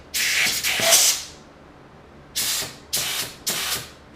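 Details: Ford C4 transmission rebuild: air check of the direct/forward clutch piston on the front pump assembly. Short sharp compressed-air bursts with a clean cutoff each time and no long leak hiss, so the piston applies properly. Normal clutch piston air check.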